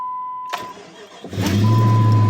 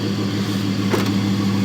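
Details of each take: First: Jeep 4.7 V8 dead cold start at about 12 degrees on AMSOIL with a new battery: catches quickly into a smooth fast idle with no lifter or lash adjuster clatter, only the failing power steering pump's faint whine. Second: Jeep 4.7 V8 dead cold start at about 12°F, AMSOIL oil, new battery: quiet even idle with no lifter clatter, only a faint steady hum from the power steering pump, which barely works anymore and needs replacing.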